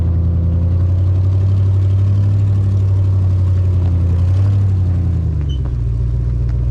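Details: Jeep WJ Grand Cherokee driven slowly around a yard before exhaust leak repair: deep, uneven puffing rumble, about four pulses a second, rising with throttle; exhaust leak.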